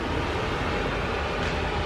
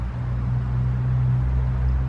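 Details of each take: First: Polaris Predator 500 ATV after carburetor clean and idle adjustments (it had been idling up earlier): steady, even idle with cooling fan whooshing, no surging or hunting; normal idle. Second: Polaris Predator 500 ATV, first start after DIY carburetor clean, fresh fuel in tank, no leaks: low hum, then the single catches near three seconds and thumps unevenly, not yet idling smoothly; hard starting.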